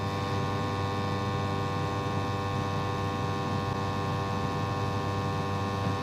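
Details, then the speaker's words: Lennox steam boiler after cleaning: steady even burner roar with constant hum, no pulsing or flutter; down to about three parts, 80.7% efficient, burning clean. "we're down to about three parts clean burning clean"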